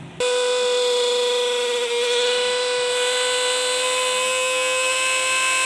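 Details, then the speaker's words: Juicer/blender grinder motor at full speed, before repair: loud, steady high-pitched whine with a hard metallic edge; noisy motor from dry bearings needing oil. "तो ये grinder ऐसी आवाज़ निकालती है कि आप देखें और सुने कि ऐसी जब आवाज़ आए तो इसका हल क्या है।"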